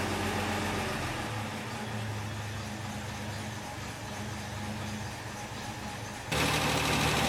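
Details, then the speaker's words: Wolseley MkII restoration, at idle, exhaust exiting under car awaiting repair, good oil pressure: steady idle with light even tick about four per second; owner suspects tappet noise despite having checked clearances. "Sounds like it's got a bit of tappet noise, but I checked all that. I might have to recheck it."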